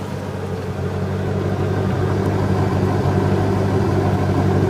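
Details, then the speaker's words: 1998 Chevy Corvette Pace Car V8, 102,905 original miles, no codes, idling with both cooling fans running, mic close to exhaust: deep, even throaty burble, slightly louder than factory mufflers but not obnoxious; healthy exhaust. "And as you can hear, it's a little bit louder than the factory mufflers are, but it's not obnoxious by any stretch of the imagination. It has a nice deep throaty tone to it."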